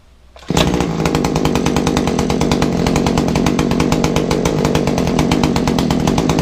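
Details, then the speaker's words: Kawasaki two-stroke hedge trimmer, just primed and started: harsh buzz at one speed with a coarse clatter over every firing pulse, heavy smoke, poor pickup; rattle from the gear head suspected, muffler to be checked first. "it's got a rattling noise from the gears gear Samri rattling and it is terribly smoky it's not running right"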